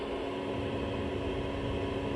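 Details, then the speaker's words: Planar diesel heater in VW Transporter T6, heard inside the van at 13 degrees, 12.1 V battery: steady even rush of air with faint low fan hum, not very loud; healthy heater running normally. "so this is how loud it is inside the vehicle obviously that's not crazy loud and if we uh get right up close to it"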